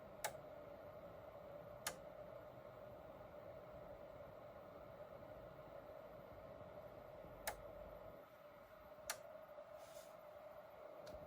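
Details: EcoFlow DeltaPRO on firmware 1.0.0.74, early morning with the sun not yet up (0.10 W/m²): a sharp relay click at uneven gaps over a steady fan hum. This is the unfixed clicking issue, which cycles faster than on previous firmware.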